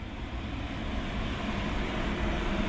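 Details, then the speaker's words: 1990s Ford V10 in a 36-foot Fleetwood Bounder Class A motorhome bought sight unseen at auction: starts up and idles with a low steady rumble, no misses or knocks. "Let's see if it starts. Yeah. Hey, it started up."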